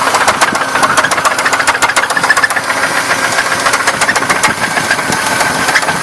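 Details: 1994 Buick Park Avenue engine at idle with loud sharp knocks about three and a half per second, deep in the block; started suddenly weeks after purchase, owner suspects rod knock.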